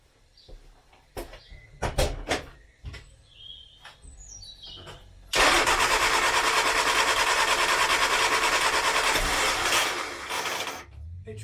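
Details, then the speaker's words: 1970s Austin Allegro barn-find revival, first start after confirming spark from coil, points and condenser and adding fuel: starter cranks in short bursts, engine catches, runs rough about five seconds, then dies; cause not confirmed. "it tried lost ground what's happened try that again come on no a"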